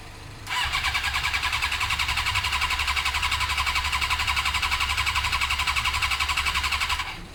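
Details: Suzuki GSXR 600 carbureted bike, steady starter cranking about four pulses a second for six seconds, never firing even with carb spray fed in: no spark. The fix was replacing the ignition unit with an original one that has the resistor, after which it started.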